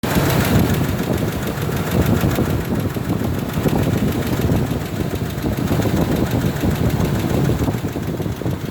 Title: F150 4.2l ticking noise with already rebuilt engine need help!